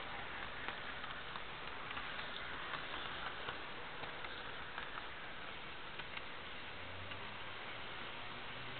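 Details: Jouef Amtrak RTG Turboliner model train, first test run after rebuild with a new motor and a Kato F-3 drive replacing the worn-smooth worm gear: quiet, even motor hum with faint light ticking, no grinding; runs great.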